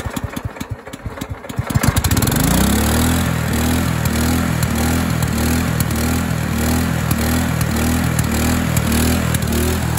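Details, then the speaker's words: Craftsman LT2000 lawn tractor with Kohler Command engine, used carburetor fitted: starts after a couple of cranks, then races at a fast, steady drone that never drops back; engine overspeed, governor arm not yet adjusted. "it it's got a little bit of an issue of racing you see like right now this is what it should be running at when you put it at po it just races"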